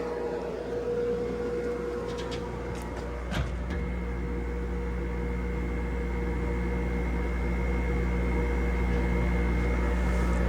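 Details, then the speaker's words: Hoffman weatherized aluminum enclosure heat pump, cabinet 3, in cold December: cooling compressor tripped by a hairdryer aimed at the intake and recorded with the cabinet door shut. A steady low hum with a fixed tone holds evenly. Normal compressor running; a slight temperature drop was confirmed. "Okay, I was a little not quite quick enough with the camera there, but ran the hairdryer into that intake there, and the cooling compressor is on. Let's shut that cabinet door so I can get a little sound bite of that cooling compressor."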